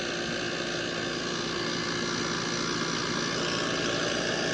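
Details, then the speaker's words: Trane 5-ton R410A AC unit (made 2020) after a hard start kit was fitted because the compressor would not start: steady, even hum with fan rush; compressor running normally at 19 A against 20.8 RLA, a bit loud but expected to quiet. "acá es un poquito fuerte el sonido pero creo que va a ir disminuyendo"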